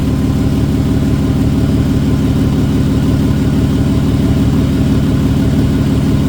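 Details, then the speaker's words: 1991 VW GTI with a freshly swapped 24v VR6, idling: steady low burble, about two even pulses a second, no misses, knocks or ticks; runs smoothly and healthy. "I already started it once. It's running good."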